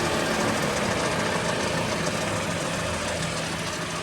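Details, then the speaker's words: Pickup truck with front wheel removed, hub spun by hand: steady rough hum and growl with no knock, louder as speed increases. Front wheel bearing growl. "Al momento de al momento de girar se oye esa especie de ronroneo ronquido. Ahora con la velocidad pues se escucha todavía más fuerte."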